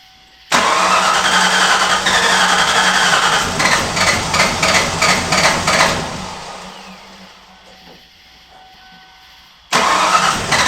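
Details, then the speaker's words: 1995 Ford Mustang SVT Cobra bought as a non-runner, first start after a few parts; engine catches after cranking and runs ragged with uneven pulsing taps about three per second, then fades; rough running, owner suspects valve train or timing. "Now, I am fully anticipate this thing not running good because something doesn't sound happy with the valve train or the timing or something. I'm not sure what it is."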